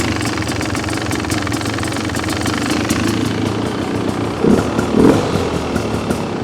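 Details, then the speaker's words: 2026 Beta XTrainer 300 two-stroke, no choke, 100:1 premix, idle screw adjusted half a turn at a time: loose, uneven popping idle with small surges; idle speed set slightly low. "You can hear how high that is. Maybe a little low. You're just kind of doing this by feel, by by how it sounds. Again, a little low."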